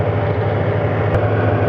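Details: 1983 Ford E-150 van with 5.8L V8, probably over 200,000 miles, after new water pump and timing chain, warm at about 193° with 195° thermostat, running about six minutes: low steady even idle, no knocks, ticks or squeals; normal idle.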